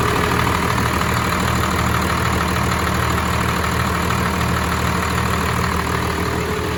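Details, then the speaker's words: Cummins diesel swapped into 1996 GMC 3/4-ton Suburban, started after sitting 3 days, air compressor running: even steady diesel clatter at idle, low regular thrum, no misses or knocks; normal idle. "Gotta love the sound of a Cummins diesel."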